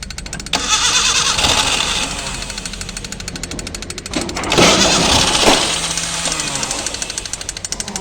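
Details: Maruti Gypsy, cold start after sitting a long time, battery fitted, in neutral; quick even starter churning about three beats a second that never catches: cranks, no start.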